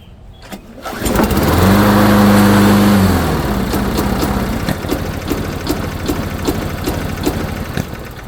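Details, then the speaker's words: Possibly late-90s Murray-built Dynamark Plus 21-inch mower, restarted while running fuel out of the line with the tank off: a pull-start catch, a surging hum, then an uneven stumble about three per second; owner suspects a clogged air filter or too much vacuum. "Oh, that was weird. Maybe the air filter is too clogged. Why suddenly running so rich?"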